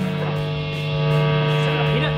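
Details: Guitar plugged into amplifier: loud steady low mains buzz and strange feedback noises, worsening over time; caused by a faulty shared neutral in the house wiring.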